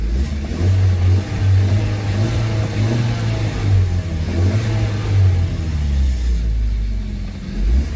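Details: 2017 Hyundai Tucson 1.6L turbo after replacing a cracked, leaking fuel sending unit: deep steady engine rumble with smooth rises in revs, no knocks, misses or whine; engine runs healthy.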